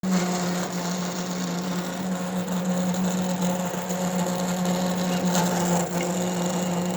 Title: Roland Versacamm Motor Error 0080 with Loud Noise